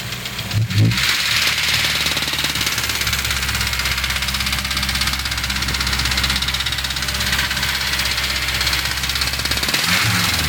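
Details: Honda S2000 at steady idle: light irregular ticking, a few per second, from near the intake manifold area; source undetermined.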